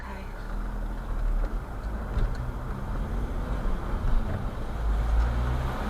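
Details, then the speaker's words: Manual car slowing in fourth gear without the clutch: deep uneven chugging drone with shuddering pulses; engine lugging in too high a gear. "listen to the engine he's chugging yeah he's not happy"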